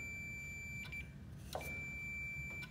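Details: Zero speed (centrifugal) switch on a motor, tested on the meter's continuity setting while the shaft is turned by hand: a steady high-pitched beep, broken briefly by a couple of handling clicks, shows the contacts closing properly.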